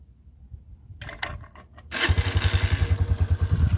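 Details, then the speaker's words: 2022 Honda CG125L at 500 miles, cold engine started on half choke on a hot day: a short crank, then it fires first time and settles into an even, quick idle thump; a clean cold start, typical CG125 sound. "oh she fired up first time and it is a really hot day today by the [Music] way and that is the typical cg125 noise"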